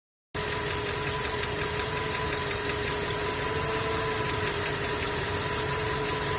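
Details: Skoda 1.6 BSF at idle: faint, regular tapping over the engine's hiss and hum; engine knock, cause not identified.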